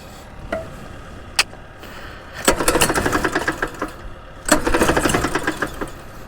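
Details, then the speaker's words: Axis M200 mini bike engine after running hot and chain coming off; coughs irregular bursts of rattly clatter with quiet gaps; running very badly, engine appears blown, internal damage suspected. "does not sound like she is gonna come back to life"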